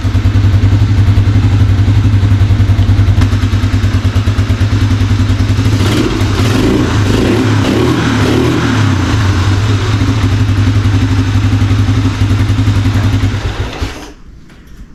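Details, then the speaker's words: 1987 Four Trax ATV after carb and choke repair, running without air filter and box: deep steady single-cylinder idle with a brief stumble midway, an occasional hiccup and slight carb backfire, suspected lean; mixture screw to be loosened for more fuel. "every once in a while it gives me a little hiccup and maybe a slight backfire through the carb so I'm going to loosen that screw a little bit more to give it a little bit more fuel"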